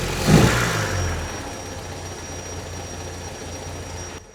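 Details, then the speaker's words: 1964 Triumph TR4 with recently rebuilt engine, running on the old distributor rotor that has play: uneven, lumpy idle with an irregular low beat about three per second; scope shows high resistance on cylinder 4; rough idle from worn rotor. "So she idles very rough for whatever reason with this."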